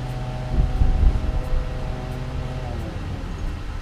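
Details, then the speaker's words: 2007 Nissan Altima 2.5 L four-cylinder after replacing the faulty cylinder 2 coil pack (code P0302): steady, smooth idle with no stumble or skip, running cleanly. "that's all done well it sounds nice and smooth"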